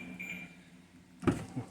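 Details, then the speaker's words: 2013 BMW X5 E70 with a newly generated key, standing next to the door: two crisp clunks as the doors lock and unlock on command; central locking working normally. "it's working properly it locks and unlocks with the command from us"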